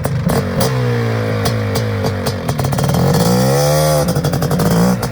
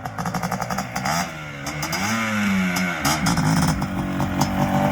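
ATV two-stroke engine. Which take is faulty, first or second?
first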